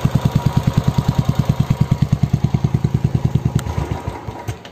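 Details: New Classic 350 at pre-delivery inspection: steady, evenly spaced single-cylinder thump at a relaxed idle with no knocking or misfires, then it fades; normal healthy engine.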